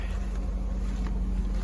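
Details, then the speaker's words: 1998 Oldsmobile Aurora V8 warming up after a simple fix cured its revving up: brief, deep, even idle with a steady low drone, no misses, surging or ticking; normal idle. "Sounds good. I almost spent hundreds of dollars just to try to figure out why it was revving up like that. And I finally figured out what it was. Something simple."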